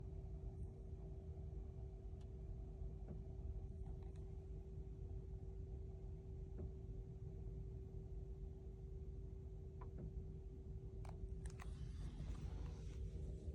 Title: @BMW @BMWUSA Clunking Sound, High Fan Noise- Not capable of Super Fast Charging! #unsafe